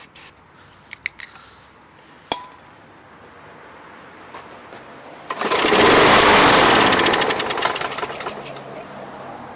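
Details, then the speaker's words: Craftsman Platinum mower, 190cc Briggs engine, no-start: sprayed with ether down the intake, it catches with a loud rattle and dies within seconds once the fuel burns off; spark and compression good, so the fault is fuel related at the carburetor. "by spraying ether in there some go-go juice that's like fuel and it runs and it dies out once the fuel dies out so now we know that it's a fuel related issue"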